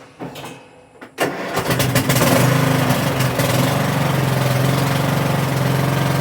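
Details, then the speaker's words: 2013 Troy-Bilt Bronco riding mower, sat 3 years, new battery, clean fuel tank, unknown hours: brief crank then catches at once and settles to a steady, even single-cylinder idle; fired right up, normal start and idle. "Well, that was hard. She fired right up."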